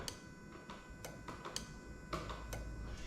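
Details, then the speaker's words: Lexus IS200 with GS430 3UZ-FE VVT-i harness on Link G4+ X-Treme ECU: AC magnetic clutch relay tested by button press, sharp clean single clicks over a quiet room; relay works as it should. "Fantastic. Okay, so that's working exactly as it should do."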